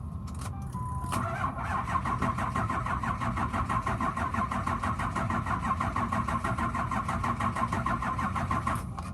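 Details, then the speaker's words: 2004 Ford F-250 XL with turbo, intake covered and air filter housing removed, battery missing, jump box used: even rapid cranking at about three beats a second with starter whir, no clanking, but it never catches. "it turns over normal like it's gonna start but it doesn't let me show you"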